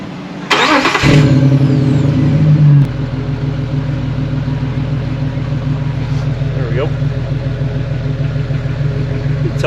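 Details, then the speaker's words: 2006 Jeep Wrangler TJ 4.0L just after a Flowmaster cat-back exhaust install: it cranks, catches with a brief rev and settles into an even, mellow idle with a slight, quiet exhaust rumble. Normal idle. "it's got a little bit of a rumble to it but it's not very loud at all"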